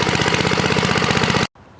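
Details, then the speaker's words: Toro 524 snowblower, Tecumseh H50 single-cylinder, after fixing a no-stay-running fault (vent holes drilled in gas cap): fast, steady, even beat, no stumbling; ran 25+ minutes without problems. "Yeah, it ran for 25 minutes plus. No problems whatsoever."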